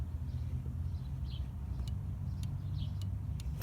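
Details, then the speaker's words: 1991 VW Vanagon 2.1 L water-cooled boxer, throttle switch adjusted after going out of adjustment (affects idle): crisp clicks at closed and full throttle over steady hum; switch engaging normally. "there's the one click and then there's the other click then go back and click click again ok so I adjusted for that because sometimes I can get out of adjustment and it doesn't click right"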